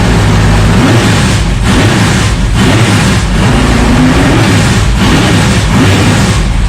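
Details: Dirt track race car, bone-stock used parts with 2-barrel carb, first start after sitting for winter, warming up: loud deep lumpy idle with steady uneven beat through open exhaust, no knocks; healthy.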